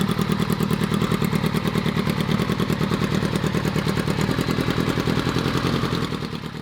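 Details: 600cc motorcycle engine in an unfinished buggy project, flames from the exhaust: loud engine with an uneven, choppy beat at idle and when blipped; runs lumpy, cause unclear.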